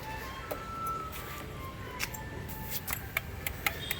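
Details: TVS Apache motorcycle with a self-start problem; pressing the starter gives only sharp relay ticks and no cranking whir. The relay is good and the starter motor is at fault.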